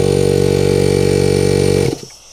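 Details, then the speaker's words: Air compressor fitted with an SSR soft start, switched off but runs as soon as it is plugged in: steady pulsing motor drone that cuts off after about two seconds; check valve ball not holding suspected; compressor starts immediately on plug-in. ", and it's running because the ball isn't holding or something."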